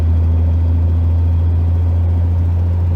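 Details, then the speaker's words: Toyota 2JZ with CD009 gearbox and Tilton ST-246 clutch at ~600 lb-ft, 6th gear uphill lugging from 1600 rpm at full throttle; heavy steady exhaust drone, no clutch chatter. "I don't hear any chatter. All I hear is drone from the exhaust. So no chatter in 6th gear."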